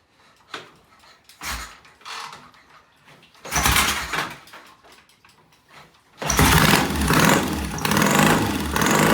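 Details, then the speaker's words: Vintage Triumph motorcycle, first start after electronic ignition, new regulator rectifier, timing set, wiring fixes, short pipes, no chain fitted: few cranking bursts then catches into loud, steady, even exhaust beat; healthy normal running. "And let me tell you, it's loud with those shorty shorty pipes, but it is it is healthy."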